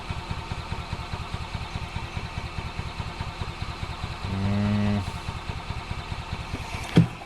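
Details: 2005 Club Car Precedent gas golf cart, crank with intermittent start, runs only on full choke: slow uneven chugging about twice a second then brief starter whir, won't catch; fuel drained, fuel pump diaphragm suspected degraded from sitting.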